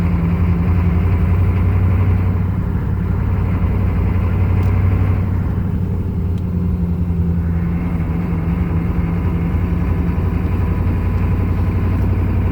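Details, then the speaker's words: 1995 Chevy 3/4-ton 6.5 turbo diesel with rebuilt DB2 (DB2831-4911) injection pump, driving on road under load: low drone swelling and sagging every few seconds; engine surging, cause unresolved. "So we'll get her out on the road and we'll get her shaking. I shouldn't actually have to go very far this time. Hear how unstable it is?"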